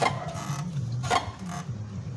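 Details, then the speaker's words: Honda ADV scooter idling: light, tinny, irregular rattling buzz from loose fuel tank bolts letting the tank vibrate; side fairing removed and bolts replaced to cure it. "esses parafusos aqui estão tudo frouxo ó aí faz essa zoada aí ó"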